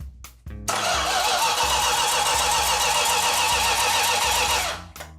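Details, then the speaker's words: 1969½ Dodge Super Bee 440 Six Pack engine on a run stand, first start attempt after about 40 years: four seconds of brisk, even cranking under music, but the engine spins freely and never fires. "So let's crank her over a little bit and see if she's gonna fire it all."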